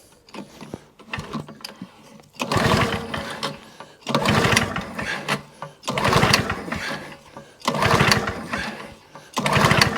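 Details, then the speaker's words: Two-stroke lawnmower from a job lot, fuel present, on choke: four or five rope pulls about two seconds apart, each spinning over without firing; cranks but won't start, spark unverified. "Nothing. So that'll be on the bench another day."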